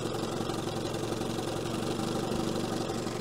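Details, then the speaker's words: 1970 Evinrude 25HP outboard after condenser change, in gear with idle raised: low, uneven two-stroke putter wavering near stalling but not dying; idle still set low, and the slow-speed needle gets closed because it runs too rich. "now it is in gear and it's not stalling it wants to though"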